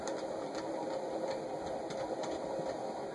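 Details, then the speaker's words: Vintage Emerson Turn of the Century ceiling fan for Sears, model 292.904000, K55 motor, on medium drawing 0.45 A; steady hum with gritty whir and faint ticks from noisy dry bearings. "ampmeter is now at45 holding at 045 you can hear the bearing"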